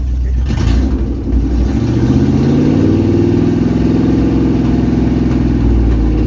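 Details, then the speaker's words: 1999 K1500 Suburban 350 Vortec after new rod bearings, nearly warm, about 30 psi oil pressure, catalytic converter stolen so loud: deep steady rumble with odd faint pop, runs evenly and holds idle; normal running. "Somebody stole a cat, so this thing's pretty loud. But we got like, I don't know, it's almost warm. We got like 30 pounds of oil pressure. Sounds good."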